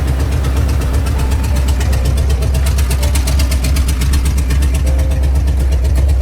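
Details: Previously knocking Ford 4.6 two-valve V8 after repair with used junkyard crank and bearings and reused bolts, no radiator, long-tube headers: loud deep rumble with fast even pulses, no knocking or ticking; normal idle.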